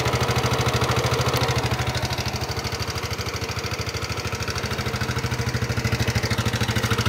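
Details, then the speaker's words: Yamaha NMAX scooter engine idling roughly with a fast, steady ticking knock; mechanic suspects a worn, loose connecting rod, loose valve clearance also considered, only an initial check. "fix ada masalah pada stang sehernya stang sehernya sudah mengalami keausan sudah mengalami kerusakan menyebabkan stang seher menjadi goyang dan oblak menyebabkan motor menjadi suaranya kasar pada saat motor di jalan dinyalakan"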